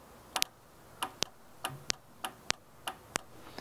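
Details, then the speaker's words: VW Beetle carburettor electronic fuel shutoff solenoid, fed 12 V from a jump pack while diagnosing a warm-start problem, gives a crisp, positive click at each touch, about every half second. The valve seems to work and is likely ruled out as the cause. "good sounds like a nice positive click every time so I think I can rule that one out"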